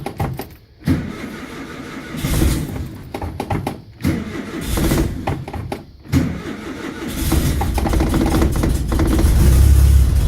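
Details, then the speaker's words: Carbureted bus engine cold start at about 45°F: cranks and catches, then settles to a low, deep, steady idle with an even beat, left idling low to warm up and circulate oil. Normal cold idle. "You want it to idle like it is now, idle as low as it will the time to warm up, and it needs the time for the oil to get moving around."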